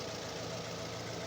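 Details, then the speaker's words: Warm Fiat Strada 1.4 Fire, brought in for hard restarts after shutdown, with fuel pressure holding 3.5 bar running: quiet, smooth, even idle with no knocks or misses; it runs like a clock. "Un relojito. Sí, un relojito. Funciona perfecto. Prácticamente no se escucha."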